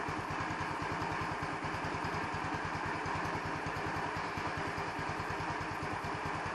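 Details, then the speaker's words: New 150cc Chinese scooter with electronic choke, just started, not warmed up: small single-cylinder idle with quick popping beat that stumbles and hesitates, tends to stall at stoplights until warm; owner suspects idle mixture set improperly. "you hear it's hesitating is that normal when it first starts should it should it do that i don't know"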